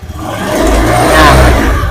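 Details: Honda Beat FI injected scooter with a good battery at 12.78 V, charging checked: the engine picks up cleanly as the throttle opens, and revs climb smoothly and settle back without stumbling; normal revving.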